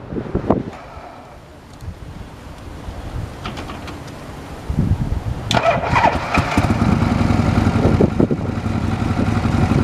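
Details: 1979 Harley-Davidson FLH Electra Glide, about 20,000 miles, after top-end rebuild with new heads, valves and piston rings to fix smoking, low power and a clack on deceleration: uneven loping V-twin beat pulling away smoothly, no overrun clacking; healthy.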